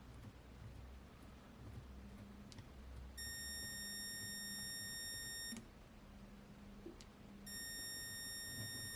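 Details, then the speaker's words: Würth 3/8in cordless impact wrench, greasy PCB, on trigger pull: two bursts of steady high whine with no motor spin, then smoke and a hot heat sink; possibly a shorted drive MOSFET stalling the motor. "okay let's pull the trigger and it dies doesn't even try to turn if I give it a flick"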